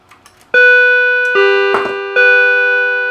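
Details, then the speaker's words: M&S MC602 radio intercom master station chime module of unknown used condition, after adjusting the frequency pot: three clean bell-like chime strikes about a second apart, fading evenly; normal chime tone. "So let's go ahead, just have a quick play around and move the frequency one and then ring it again."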